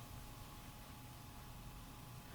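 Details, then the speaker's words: Small 12 V Cooler Master replacement fan in a Coca-Cola mini refrigerator (bought 2011; old fan had become very noisy), wired directly to power: quiet, smooth whir with a faint steady tone, blowing well and fast; fan works normally. "it's blowing it's actually blowing pretty well surprised it's um pretty fast actually so that's pretty neat so we know that the fan works"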